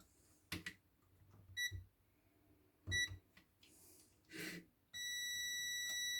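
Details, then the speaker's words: Silvercrest electric kettle that would not power on, control board opened after the fuse checked fine: multimeter gives short high beeps with each probe touch, then one long steady tone, showing continuity; the tested board components are fine, and the kettle works afterwards. "Αυτά είναι εντάξει."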